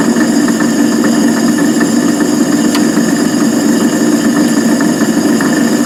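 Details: Van Wert coal stoker on Gentleman Janitor JG5 boiler, running pea-size anthracite after six days: steady mechanical drone with uneven ticking and clatter; rough, noisy gearbox, cause not confirmed.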